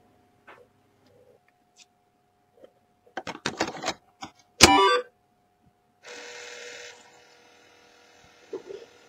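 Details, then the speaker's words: Famicom Disk System with disk inserted: clunk and about a second of motor whir but no head stepping or seeking; drive belt perished. "the motors spinning but I can't hear the heads moving no nothing happening nope nothing that's all I can safely say the belts perished"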